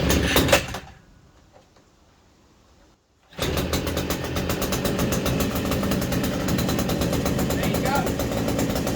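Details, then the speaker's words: New Hyundai 50cc petrol brushcutter, fresh fuel, primed, choke on: short pull, brief quiet, then fires at once into a steady even two-stroke rattle; starts straight away and runs fine. "There you go. Started straight away."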